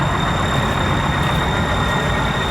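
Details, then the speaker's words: Old bus with a Detroit diesel idling: steady even clatter and low rumble with an audible knock, cause unclear. "I can hear it knocking."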